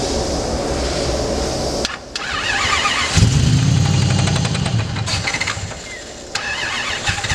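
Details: Supercharged V8 Miata after track testing: cranks, catches and runs rough with sharp knocks through the idle; rod knock.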